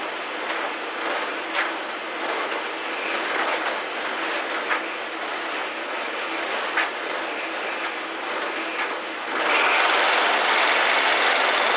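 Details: 14-year-old GE electric dryer, model PVXR353EB0WW, running: tumbling roar and rumble with sharp knocks roughly twice a second as the drum turns; previously fixed for squeaking, cause now under investigation.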